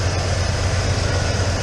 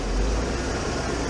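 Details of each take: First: 1996 Ford F-150 after the high-idle repair (TPS, throttle body gasket and hose): parked outside while the cooling system bleeds, not yet fully warm, it idles smoothly and steadily at about 950 rpm with no hunting or surging. Proper idle speed. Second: 1996 Ford F-150 V8 being diagnosed for high idle (owner suspects bad TPS): with the intake ductwork removed, the MAF detects no airflow, so it runs rough with a deep, heavy, slightly uneven idle rumble.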